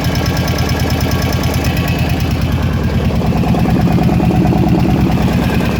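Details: Kawasaki KVF 750 Brute Force ATV V-twin at idle: fast, light, even tick over the low thump, noise coming from the top end of the engine; top-end ticking.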